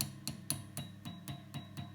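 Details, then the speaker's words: Vox AC30HW hand-wired amp, tapping an EL84 power tube: sharp taps about four times a second, each answered by a high ringing tone through the speaker. A microphonic EL84. "wow isn't that annoying so imagine you play a [ __ ] g note every time every [ __ ] time this one little noise"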